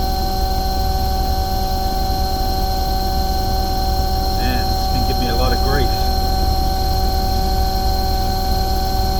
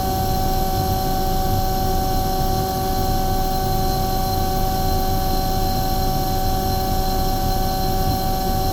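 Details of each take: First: Omni/Econo Heat/Morrheat waste oil heater burner after cleaning and nozzle service: steady roaring flame with constant fan hum; burner smoking, owner hopes it is oil built up in the chamber burning off within 10-15 minutes. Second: Omni/EconoHeat/Morrheat waste oil heater burner after cleaning and nozzle service, oil-clogged beforehand; steady even roar with constant hum, no surging or sputter, setting about 12.5, smoke clearing, not blowing out; firing cleanly, running well.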